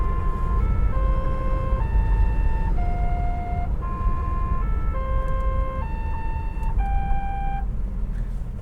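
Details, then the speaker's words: 1977 AMC AMX Hornet, original car with about 96,348 miles: loud novelty musical horn plays a clear tune of stepped notes over low engine rumble; horn previously not working, now strong and working. "I was going to take it out, but I decided to keep it just because it's part of the history of the car. And it's this awesome horn."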